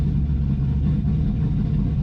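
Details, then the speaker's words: Project Z28 V8 cold start after idle problems, no throttle, steady at 1,000 rpm; deep, even burble with no misses or knocks, still smelling a bit rich; normal cold idle. "I'm not touching the gas at all. It's right at 1,000. Which, for a cold engine,"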